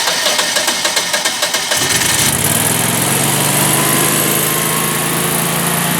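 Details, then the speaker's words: Generac natural-gas home standby generator started via manual button, lid open: quick cranking pulses about two seconds, then catches and settles into steady even idle drone; normal start and idle. "Now it's going to be kind of loud, so I don't know how well you'll hear my voice, but I'll do what I can."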